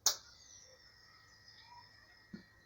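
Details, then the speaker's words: Homemade irrigation controller with a relay module on its own power supply, switching between watering sections around 19:00: one sharp click, a faint hum, then a softer clunk; the solenoid valve is much louder than the relay; the system worked correctly. "Widać, że ten przekaźnik, nie przekaźnik tylko elektrozawór jest znacznie głośniejszy."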